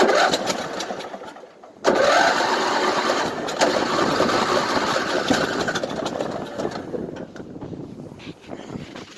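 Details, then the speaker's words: 1998 Craftsman LT1000 lawn tractor with a hard-start problem; owner suspects a bad battery: steady, labored starter churning, about three turns a second, for several seconds without firing. Slow crank, no start. "It's not dead, but it was starting to crank slow. I think I need a battery too."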